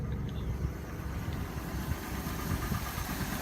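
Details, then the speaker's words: Cadillac Northstar V8 cold start in snow, still warming up: harsh, uneven knocking over the low engine rumble at cold idle. "this thing, listen to that North Star. Good Lord, it's knocking."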